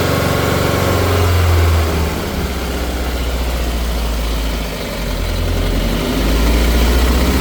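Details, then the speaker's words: Subaru after repairing the titanium exhaust so it no longer hits the differential, revved while listening for a front rattle: engine climbs and settles with a loose, busy rattle over the rumble; source unclear. Front-end rattle under revving. "All right, let's see if we can hear this rattle, guys. I ain't got no light, but Blake's gonna rev it, see if we can hear or see."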